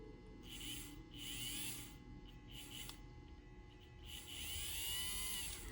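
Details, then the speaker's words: Newly bought eBay Kato Mikado 2-8-2 model locomotive under power: a quiet, steady high-pitched motor hum with gentle rises along the track and no grinding or stutter. It runs smoothly, though the wheels still need cleaning. "Let's put some power to it. What a lovely day. Oh, did you hear that? That runs so smooth."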